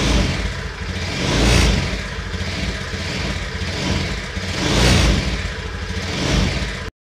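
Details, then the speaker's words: Honda Beat FI scooter engine running with rough droning hum and hissy whistle swelling about every 1.5 seconds; engine torn down, worn crankshaft bearings replaced. "kita mau review nih motor Beat kefir suara kasar ya seperti dengung silsil gitu ya"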